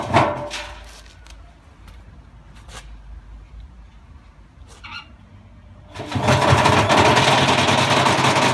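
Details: Bosch Classic 6 1200 Express washing machine hot-wired straight to the motor, top ballast removed, objects inside: scattered heavy bangs as the drum turns, then loud rattling thrash as it speeds up; drum loose on a broken spider.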